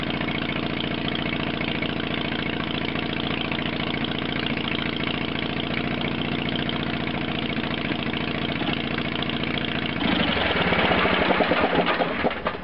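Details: 1970s Case 446 garden tractor after fixing a no-crank fault by restoring the solenoid ground: small single runs steady with an even low thrum, then revs up without missing. Normal running.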